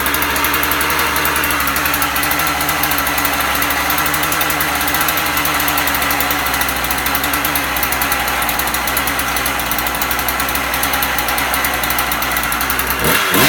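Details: Husqvarna 36 chainsaw after impulse-hole repair, warming up outdoors: loud, steady high buzzing two-stroke holding even without stumbling or dying; running clean, restarts first pull.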